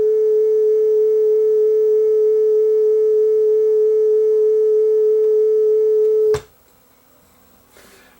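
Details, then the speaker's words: Yamaha K520 cassette deck playing a speed test tape, running slow: test tone wavers heavily then cuts out; severe wow and flutter, belt seen riding back and forth on the pulley, suspected bad belt. "oh this is that flutter and it is way off but and then it just stopped really really flutters like crazy"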